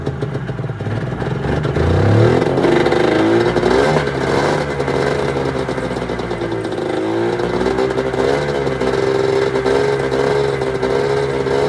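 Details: 1996 Arctic Cat ZRT 600 two-stroke snowmobile after fuel pump rebuild and priming: catches, revs up and settles to steady raspy idle with clean throttle response; holding good after air bubbles in lines, normal idle and revving.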